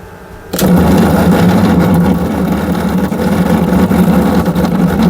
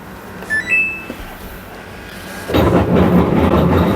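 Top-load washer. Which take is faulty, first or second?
second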